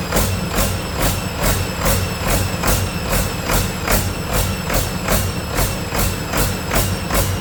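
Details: Detroit 40 series generator turbo diesel (rebranded Navistar DT466, possibly DT530), sat outside 5+ years, run briefly without coolant: speed rises and falls about twice a second, no knock, at no load; owner suspects flywheel governor hunting, unconfirmed.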